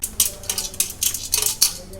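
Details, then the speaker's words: Pigeon 1.8 L rice cooker, about one year old: tilting it brings short bursts of light metallic clatter inside the casing, likely a loose screw that has fallen off internally (owner suspects); base stand burnt and control panel had come off. "ఒక sound వస్తుంది చూసారా ఆ sound ఎక్కడి నుంచో అనుకుంటే అది లోపలే ఏదో లూస్ అయ్యి స్క్రూ అనుకుంటా పడింది అయిపోయింది పడిపోయి కదులుతుంది"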